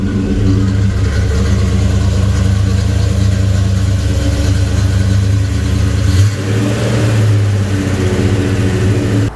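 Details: 1972 Chevelle Malibu 383 V8 after fitting Doug's 1 5/8 x 3" headers and Flowmaster 2.5" H-pipe exhaust, on a drive: deep steady low rumble with slight rev dip and recovery; louder even inside, deeper tone, choppier; normal healthy exhaust note.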